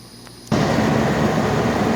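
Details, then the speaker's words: AC condenser with a newly installed ICM 870 soft starter in on-delay mode, a 3–5 minute delay before the compressor starts. A steady whooshing fan starts abruptly with no compressor hum. Condenser fan running, compressor off. "Alright guys, so the system just started again. Only the fan came on, and once again it's flashing that it's in the on delay mode."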